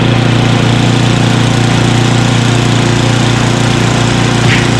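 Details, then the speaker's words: Craftsman 29" snowblower, 9HP Tecumseh single-cylinder, after carburetor cleaning with a blocked pilot jet cleared: steady low idle at constant speed, even putter throughout, no rising and falling surge. "there you go it was the pilot jet after all that little tiny hole see it is at the bottom of idle and it's idling great"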